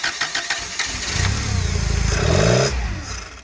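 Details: Toyota 7 Series forklift with 4Y engine, after distributor and plugs were swapped back and ignition timing was reset: cranks, catches and revs briefly, then dies within seconds whatever the rpm; ignition signal wire shorted at ECU, cutting spark.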